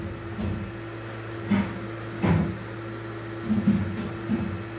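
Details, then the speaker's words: PlayStation 3 reported to make loud noise and shut off by itself: steady low droning whir with a few handling knocks while a game fails to load; loud fan noise, cause unknown. "Esse barulho. Será que algum problema Pode ser aqui a conexão, mas o ideal seria aparecer alguma coisa."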